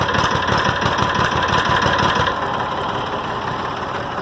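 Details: 6.0 Powerstroke diesel cold start after a new alternator was installed: steady, even diesel clatter at about three beats per second with no misses or stumbles; healthy cold idle.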